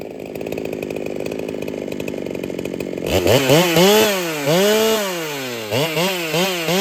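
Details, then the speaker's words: Ported Holtzfforma 395 two-stroke chainsaw after build changes, under load: buzzing, slightly uneven note with blips; runs like rings badly need seating, carb fattened, about 3/4 turn between lean and fat; cause unconfirmed. "Now it does run like the rings need seated pretty badly, so that might be all we're looking at."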